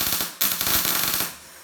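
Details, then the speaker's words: Telwin 210 welder: fast, sharp arc crackle of about twenty clacks a second for roughly a second, then stops; the clacking sounds clearly different at this setting, and earlier it was much faster. "Tu vois, tu entends la différence de claquement. Écoute. Écoute comment tu sens la différence. Tout à l'heure, le clac il était beaucoup plus rapide en fait."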